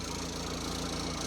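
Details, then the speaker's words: VW T25 TDI camper van after refitting the rebuilt gearbox, which had a third-gear issue. It has a steady diesel idle with a light, even tappety clatter and no grinding or scraping, so it sounds normal, though it smokes more than remembered. "there's no major noises apart from what I've used to"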